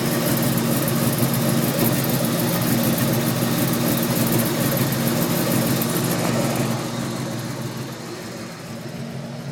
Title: Weird ticking noise '03 Cobra